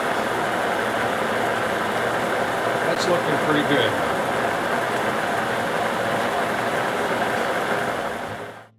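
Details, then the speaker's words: Shop-built hobbing head with spur gears, after about an hour cutting metal at 90-180 RPM, run up to a faster speed: an even, steady whirr with no once-per-turn knock, and the earlier noise is no longer heard. Normal gear mesh. "it's the sound of a machine it's not too bad take it up to0 which is a little FAS for Cofe you can hear a little more it's just it's spur gear line I'm not hearing the one from Rab in there anymore"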